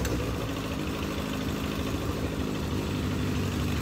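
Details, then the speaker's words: Legends race car after motor swap, first start attempts: lumpy, uneven idle with stumbling irregular beat and heavy low rumble; engine flooded by the carburetor. "okay I think we got it flooded we're gonna check something out be right back with you"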